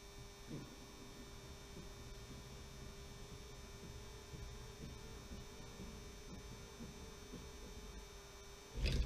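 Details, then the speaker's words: Model railway funicular: quiet, steady mains buzz at one even pitch with no rhythm, coming from the old makeshift controller's transformer humming; owner plans to replace it. "so there you have it that's the funicular railway and the humming noise you can hear is this old controller which I've lashed up which is really annoying I have to say"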